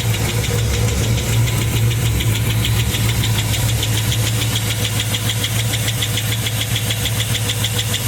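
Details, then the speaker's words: LS-swapped Chevrolet Caprice with 4.8 V8 from 2007 Silverado Classic, idling: sharp steady metallic tick about twice a second over even rumble; cause found to be one bad lifter of 16. "finally found out what the uh what that ticking was it was the lifter there we go it's just that one lifter out of all 16"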